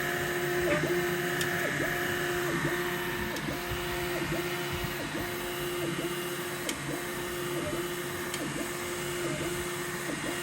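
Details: N4 Pro 3D printer moving: rapid high squeak three or four times a second over motor hum, some part rubbing dry.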